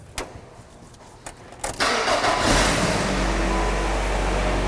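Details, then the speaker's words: 2003 Nissan Sentra after fixes including cam and crank sensor replacement: a few cranks, then it fires cleanly and settles into a smooth, even idle with no misses. Check engine light stays off; normal start and idle. "No check engine light. Well, here we are, engine running, check engine light off."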